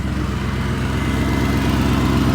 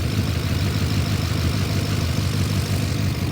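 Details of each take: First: BMW E39 540i V8 after refitting the missing secondary air/EGR pipe, idling with DIY electric fan running: steady, even low rumble with fan rush, no ticks, misses or knocks; engine sounds healthy. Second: BMW E39 540i six-speed V8, after refitting the missing EGR pipe, which cured the exhaust noise: deep steady idle with busy, clattery top-end chatter and no exhaust puff; loud valvetrain in the heads.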